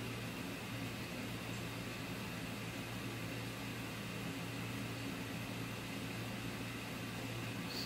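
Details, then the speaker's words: Sunstar 45K BTU overhead garage radiant tube heater: quiet steady low blower hum at even speed, no knocking or scraping; normal 30-second exhaust purge before ignition. "so it's a 30 second purge it blows anything out of the exhaust for 30 seconds and then it'll start up"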